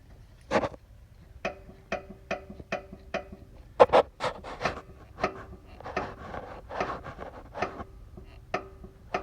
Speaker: so i found uh both bolts on the shock on the lower uh shock mount bushing were loose and i made the noise video so i tighten this and now there's no noise